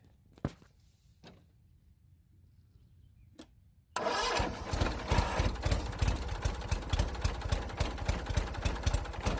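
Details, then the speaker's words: Bolens Duratrac GT2000 tractor whose electric starter spun without engaging the flywheel, now fitted with a different battery: quiet clicks, then the engine catches and settles into a fast, even chugging idle. Starts normally; owner hopes the battery, not the starter, was the issue. "so it did start it up let's hope the issue is a battery not the electric starter"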